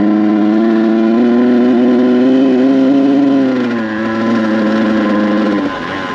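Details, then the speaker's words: Kawasaki KX100 two-stroke with paddle tire, first ride in sand: note hangs low and wavers, sagging instead of climbing at full throttle; rich bog at wide open throttle, carb suspected too rich on top. "This bike is struggling. Let's turn around. This thing is running like poo-poo! Running like shit, bro."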